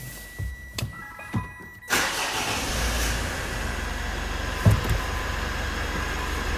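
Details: Mitsubishi L200 Series 5 2.4 DI-D diesel after fuel filter change, primed by hand bulb until hard: a few clicks, brief crank, then catches cleanly into steady tick-over; normal start after filter job.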